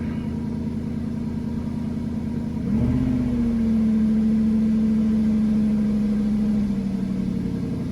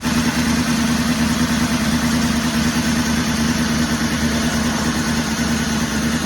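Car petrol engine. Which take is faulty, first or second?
second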